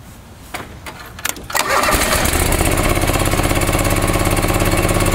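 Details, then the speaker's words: John Deere 445 lawn tractor after replacing the ethanol-eroded fuel hose on the in-tank pump: a few clicks and short crank, then catches into a steady, even idle at about three beats a second; normal start and idle. "guys so as you can tell it's a pretty well well running machine"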